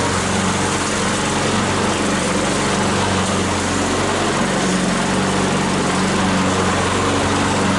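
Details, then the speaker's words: Troy-Bilt mower with a "Frankenstein" engine built from another engine's parts, after a new head gasket: a steady, strong drone holding even speed while cutting, no surging or dropouts; engine running healthy. "all righty cutting like a charm no surging everything works fine"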